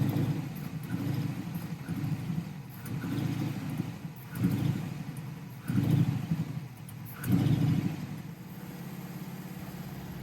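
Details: 1969 Camaro SS V8, unstarted for six years, idling near operating temperature with good oil pressure during vacuum-gauge tuning: swells and sags about every second and a half, a hunting idle from an intake manifold vacuum leak.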